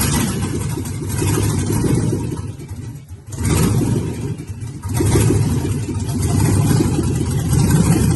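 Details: First start of a 5.3 V8 (LS swap) on an engine stand: deep engine note rising and falling with a couple of throttle blips, firing evenly without misses; normal running and revving.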